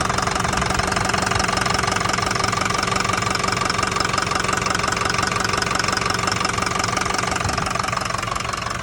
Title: 2005 F350 6.0 Powerstroke Bad engine noise